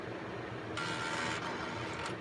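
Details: Intel 386DX-25 PC unused for 15+ years, powering up: quiet hum, then a short buzzing chatter for about a second as the floppy heads seek during startup; normal floppy drive seek.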